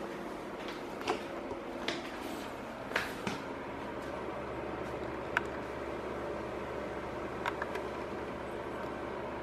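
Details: Cadence Auros 1500 W fan heater on high setting, recorded about a hand-span away: steady airy rush with low hum and a few light ticks; it starts quiet but gets noisier after roughly half an hour; normal running.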